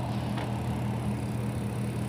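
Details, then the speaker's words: New 36,000 BTU TOSOT heat pump outdoor unit, just installed. Low, steady, soft hum with no knocks or rattles; the compressor runs quietly and normally. "Really beautiful though. Yeah, that's like quiet though. I hear that compressor."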